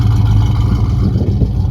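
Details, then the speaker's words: 1967 Mercury Cougar with exhaust fitted, long-stored car before a roughly 1250-mile road trip: a deep, even idle burble with no knocks or misses, running smoothly. It shakes at start-up, and the owner thinks it could use motor mounts. "but you can see it's running good pretty smooth overall"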